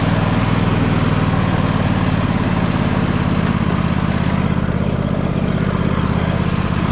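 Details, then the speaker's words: John Deere L120 lawn tractor, small single-cylinder engine after sitting, mouse nest cleared from air filter and carb cleaned, idling smoothly with an even putter; starts and runs, though blades won't engage and it didn't move at first. "well Blaze didn't come on and it didn't move so we got some issues but did start off and run now"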